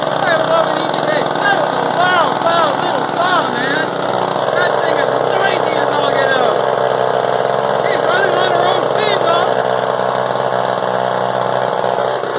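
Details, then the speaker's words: Frontier Mark 1 chainsaw (Husqvarna 35 variant), chain still tight, just started after a few pops and needing help to start: loud, buzzy two-stroke running steady at high speed with a crisp, even note; nothing wrong. "Nothing wrong with that, so that's awesome. That's a loud little saw. That is a loud little booger."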